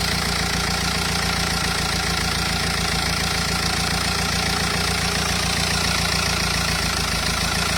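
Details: Renault Espace 2.0 dCi diesel at idle: rough, loosely regular tapping about three to four times a second over the clatter, abnormal engine noise.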